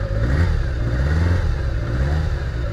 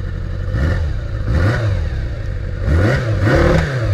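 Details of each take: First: Kawasaki GPz550 abandoned bike, revived: low, lumpy engine beat wavers and stumbles when throttle is given to one cylinder's carburetor alone, showing cylinder imbalance; smooth when all four opened together. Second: Abandoned 1981 Kawasaki GPz550 just revived: even idle with clean throttle blips that rise and fall smoothly. The tachometer shows no RPM, and the throttle cable is faulty.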